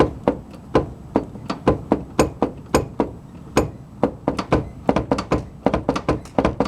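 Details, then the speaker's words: 4WD Daytona during engine mount work: heavy, hollow, fairly regular thunks about four a second; the owner thinks it comes from the front passenger side and not the motor mounts, so the cause of the front-end clunk is unknown. "huh sounds like it's on the passenger side what is it that'll be able to see something rubbing but it ain't the motor mounts kind of close there but it's not in it something up front"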